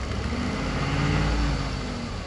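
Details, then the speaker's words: 2013 Ford F-150 with check engine light on: deep idle with a slightly uneven, stumbling pulse from a mild misfire. Plugs were checked and are not the cause; the cause is undiagnosed. "it does run and drive it does have a slight missfire in it that's the reason to check engine lights on but I mean you can hear"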